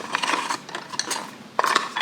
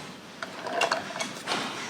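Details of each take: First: Yarn ball winder (ovillador), opened up, inner gears separated: irregular dry clicking and ratcheting as it is cranked, with no drive, and the part does not move. Fix is to push the gears back together, then reassemble. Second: Hand-cranked yarn ball winder (ovillador) being turned by hand: quick, crisp rattling ratchet clicks, which the owner says means the inner gears are doing their job and engaging.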